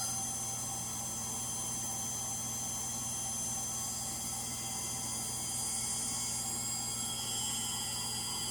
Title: Frigidaire Gallery front load washer model GLTF1670AS1 final spin. Bad Motor bearings.